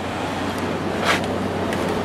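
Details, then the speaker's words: Samsung 6,300 BTU window air conditioner on fan only, at about 0.53–0.61 A on low and medium. Smooth airflow over an even hum with a brief click at a speed change and no rattle; the fan runs normally. "I'm going to let it run on fan only for a while. Just to dry it out and make it smell nice and fresh."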